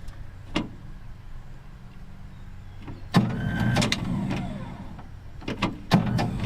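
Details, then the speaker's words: 1959 Dodge D-300 truck, new starter just fitted with old solenoid parts reused: starter whirs, engine cranks in uneven bursts, starter keeps spinning after release; starter sticking, suspected bad solenoid, new Ford solenoid to be fitted. "CU shoot still a bit sticky I bet that stuff in that selenoid is all crappy cuz we had to put the old stuff back in"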